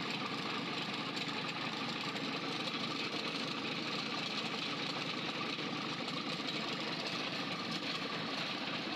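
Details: Freshly overhauled 4TNE98 forklift diesel engine on a test stand, run for a leak test with the valves visible: steady, even diesel clatter with a crisp valve tick and no misses or knocks; normal, healthy idle.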